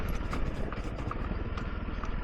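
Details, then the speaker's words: Honda CRF300L on new Michelin Tracker tyres, riding downhill on Yorkshire trails: light irregular clicking, two or three a second, over the single-cylinder drone; source unknown, to be checked. "Something's clicking. Don't know what that is. That doesn't sound good, does it?"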